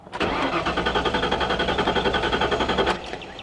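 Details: 1998 Ford Explorer with a fresh battery and about a quarter tank of fuel: strong, even cranking at nearly four beats a second for about three seconds but it never starts. Theft light is out, oil pressure good; failed fuel pump.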